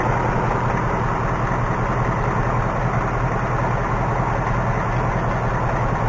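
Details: 2018 Mustang GT V8 idling, recorded underneath with a stethoscope; quick even ticking keeping pace with engine speed, nothing heard at the oil pan, worse passenger side; source not pinned down.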